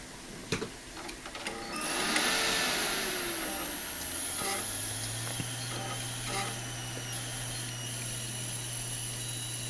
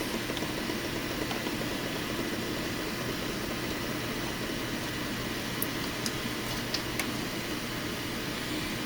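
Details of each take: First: FSP 300-60GHA PSU with new output capacitors, fitted in an OptiPlex 390 that won't POST: thin, steady high-pitched squeal with a cicada-like hissing buzz, then a low hum; power supply coil whine. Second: FSP 300-60GHA PSU with replaced output capacitors, rails at 11.97 V, 5.05 V, 3.33 V: only soft steady fan hiss, no whine, buzz or cicada chirp; normal quiet running.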